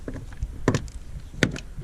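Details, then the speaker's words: 2009 Ford Fiesta Mk7 1.25: sharp, irregular metallic clicks with a faint rattle from a loose jacking point strap. The mount has cracked the pillar and ripped spot welds; the fix is tightening the bolts. "after the vehicle walk around and inspection everything looks good except this thing here so the Jack straps loose you can hear a clicking away"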